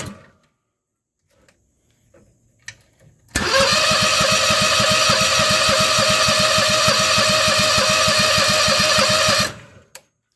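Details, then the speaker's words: Predator 670 22 hp in a swapped Bobcat, not run in about four years, full choke: steady cranking at about 200 rpm for six seconds that never catches; cranks but won't fire, owner suspects clogged gas line. "I haven't ran this engine in like four years I bought it for a stump grinder it turns over though"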